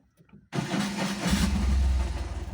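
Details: Tata Ace petrol after a starting problem was fixed (part due for replacement around 100,000 km): brief crank, catches at once and settles into a steady even idle with no misfire or stumble; dash warnings clear on start.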